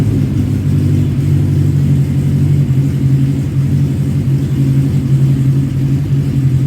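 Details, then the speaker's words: 1985 Kawasaki GPz900 Ninja after a revival, slightly warm with the fuel tank refitted: a deep, smooth, even rumble with no ticking, knocking or misses. It sounds good, though coolant drips appeared afterward. "But anyway, so yeah, you guys heard it. Sounds good."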